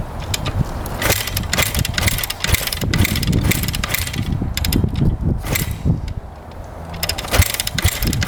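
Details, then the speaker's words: 2009 Kawasaki KX250F four-stroke dirt bike, choke out, fuel on: repeated kick-over strokes with soft, uneven puffs and no firing; low compression no-start. "yeah that's a noo does not want to fire up feels like it's pretty low compression when you're kicking it over"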